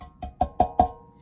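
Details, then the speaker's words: Fender Blues Deluxe reissue combo amp reverb pan tapped: four sharp taps each leaving a clear metallic ring that sustains; pan resonates too freely, to be damped with foam tape across the top to cut metallic tone in the reverb effect. "um you could probably hear that that resonance listen see some nice sustain there what I'm going to do is put a little bit of foam tape across the top before I put her back into her bag and that'll help quell some of that get some of the metallic tone out of your Reverb effect"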